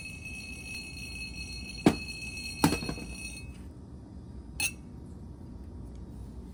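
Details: Early morning in a kitchen: sharp glassy clinks with sustained high ringing as two glasses touch and vibrate together; stopped when the glasses were moved apart. Glasses touching and chiming from vibration.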